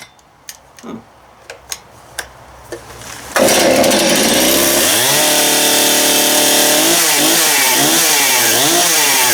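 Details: Stihl MS271 chainsaw after clutch drum replacement, freshly mixed fuel: a few light clicks, then fires with a crisp, even buzz, revving up and dropping back cleanly; sounds healthy.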